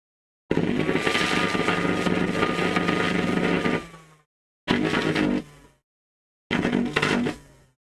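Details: Henry vacuum motor, 230V, about 1000W, with a badly worn commutator and new brushes sanded flat: it howls up in short runs with a rough, crackling hiss, then coasts down. The brushes are arcing.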